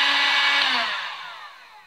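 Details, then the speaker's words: Harbor Freight Drill Master heat gun 62546 after repair, running on high heat: steady high airy rush with smooth motor hum winding down evenly at switch-off; normal blower operation. "so I finally have this heat gun completely back together and I have it on high heat right now but I haven't turned on the power switch yet I'm going to turn it on right now"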